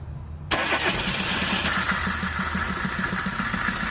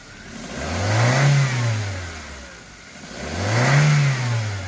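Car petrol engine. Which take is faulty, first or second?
first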